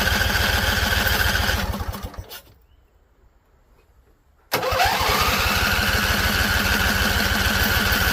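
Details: Husqvarna Z254 mower engine, after a PTO clutch install. It runs a couple of seconds on carb spray, fades out and dies, then fires again after cranking. Won't stay running; owner suspects flooding or a non-venting tank.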